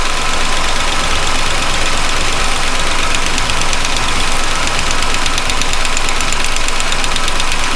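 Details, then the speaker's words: Chevy pushrod V8 running with valve covers off, oil supply low: fast light ticking, about two per second, over a busy idle; lifter noise on one bank, not a loose valve. "it's still tipping up but you can still here that's just valve LIF noise that's not a loose valve per se"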